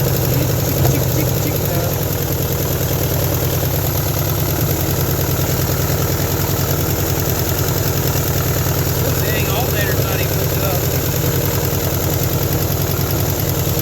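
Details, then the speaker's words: 1972 Nova 307ci V8 first start after 35 years, with sanded points and a rebuilt carb: loud, lumpy idle with an irregular skip and exhaust leaks. A misfire, possibly on one bank; the owner wonders about a flat cam lobe. "oh it's skipping it got a little skip in there"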